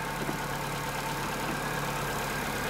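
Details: Chevrolet Corsa Classic 1.6 (not 16-valve) idling slightly high: steady idle with a constant airy sucking hiss; vacuum leak, air drawn in past the brake booster hose seal.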